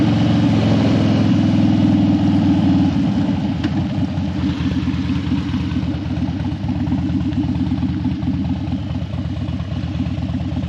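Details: Harley Dyna that died when hot and wouldn't crank hot, warmed up on a test ride after a suspected battery fix: lumpy but regular V-twin potato beat at steady idle, no stalling or dropouts. Healthy idle.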